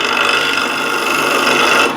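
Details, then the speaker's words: Wood lathe, dull scraper on chestnut end grain with light contact: harsh, even rasp with faint ringing chatter and vibration, no cutting; heavy pressure yields only a little dust. "so I'm using quite a lot of pressure to get a little bit of dust like this"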